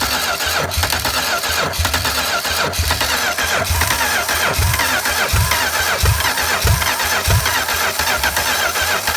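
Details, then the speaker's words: Homebuilt V8 trike on a cold start after sitting three or four years: it catches and runs rough with heavy low thumps about every half second. Owner suspects a head gasket problem or oil left in the cylinder (hydrolock). Unconfirmed. "that sounds like bad huh knock or something oh I don't know looks like it's something off the head gasket"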